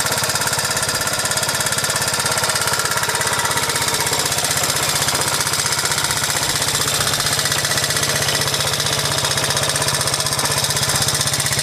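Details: 1986 Honda Z50J Monkey single-cylinder after rebuild, with the exhaust and carburetor repaired. Rapid, even, crisp exhaust pops at steady speed with no misses or stumbles; it now runs good.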